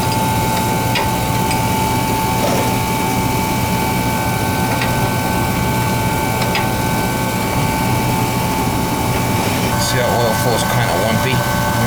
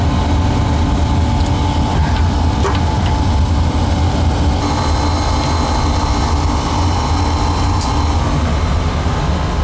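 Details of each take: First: Oil burner: steady high-pitched whine held over the burner's roar as the oil pump struggles to pull fuel through a dirty, long-unchanged filter; filter then replaced. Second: Oil burner after replacing the badly clogged oil pump filter, plus new nozzle, tank filter and power venter motor: steady even roar, pump whine gone, no longer struggling to pull oil; normal burner operation.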